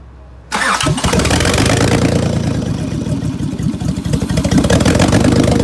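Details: 2003 Honda 3.5L V6 cranks, catches, then idles rough with uneven stumbling beat; misfire on bank 1, codes P0301, P0302, P0303 and P1399.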